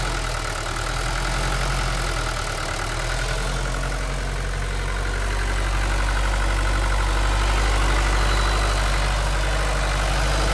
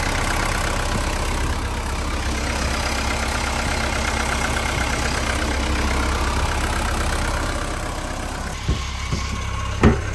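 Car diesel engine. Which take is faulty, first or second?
second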